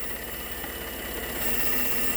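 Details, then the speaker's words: Ford F150 EcoBoost, rough-running engine at idle: steady thrum under a constant high airy hiss from a vacuum leak at a vacuum canister (not the brake booster) cracked in a wreck, in an awkward spot. "If you listen around this area, you can hear a vacuum leak."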